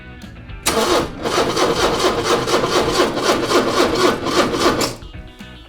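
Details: 40-year-old Porsche 944 engine: steady, strong cranking for about four seconds that never catches or fires; spark present on plug 1.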